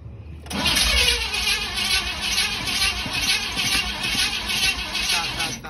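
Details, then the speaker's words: Ford F-150 cranking after valve cover install, fuel pump heard priming: steady hissy cranking with uneven churn that never catches. Owner says it's not getting fuel and the tank needs more gas. Crank, no start. "it's not getting fuel the tank needs to fuel it needs more gas"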